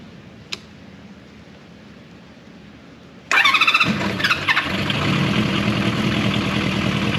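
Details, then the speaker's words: Honda CB400F after fitting K&N pod filters: starter whirs, the engine catches, then settles into a slow, uneven idle that barely holds. Idle speed set too low. "Sounds good. Idle is just too low."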